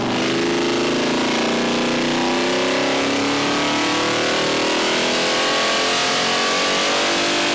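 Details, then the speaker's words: Ford 390 FE V8 on the dyno: full-throttle pull to 6000 rpm on 93-octane pump gas with 30° total timing and a Pertronix distributor (rev limiter 6500). Strong, steady climbing note with no misses or knocks. Healthy pull making 402 hp and 438 lb-ft. "i think we might have broke four hundred first bill oh 402 horsepower 438 pound-feet of torque not shabby"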